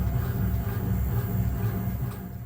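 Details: Lamborghini Huracán BWI Magnetic Ride magnetorheological shock absorber on a test dyno after repair, damping adjusted via supplied current: steady low rumbling drone, even and free of knocks or clatter; damper operating normally.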